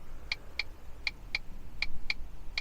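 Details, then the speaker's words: A vehicle's hazard flasher ticks steadily, about twice a second, after a test lamp grounded to pin three is tapped: the cluster hazard tone and indicators come on, but there is no exterior lighting at all. The cause is not pinned down. "So, I don't know if you'll hear that, but the tone and instrument cluster for the hazards has just came on. But unfortunately, we haven't got any exterior lighting at all."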